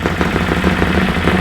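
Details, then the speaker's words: Bennche Spire 800 twin-cylinder UTV after a full engine rebuild, first startup: steady, even idle at about 1500 rpm with a firm low pulse; both cylinders firing cleanly, no knocks or misses, no coolant bubbles. "and it sounds like it's running on both cylinders, so that's a positive."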